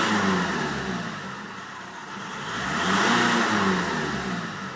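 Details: VW Golf with AJM diesel engine revs up and settles with a lumpy, uneven beat: an engine misfire, cause not identified.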